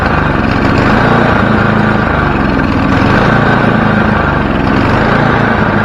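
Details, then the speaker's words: Snowblower small engine started with one pull after carburetor cleaning and bending a part near the hot exhaust to fix surging: holds one steady, even drone with no rise and fall in speed. Surging fixed; normal steady running. "so i got the engine surging figured out and now it's on to the belts"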